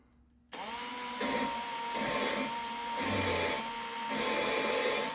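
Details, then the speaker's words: 5.2/5.9 cylinder head valve reseating with drill and valve grinding compound at low speed: gritty high-pitched grinding swelling and fading in short bursts over steady drill whine, pitch changing as the valve seats. "You hear it grinding. You can pull and hold it. You give it a bunch of little tip taps, tippity tap taps. You'll hear the grinding sound pitch change as you go."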